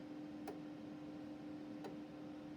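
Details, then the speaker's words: Marconi 6200A microwave test set during repair diagnostics: two sharp step attenuator relay clicks about 1.4 s apart over a steady hum; the RF level does not adjust smoothly but jumps with the attenuator and sits 10 dB high, so calibration is needed. "so it's only when you step attenuated you can hear that clicking"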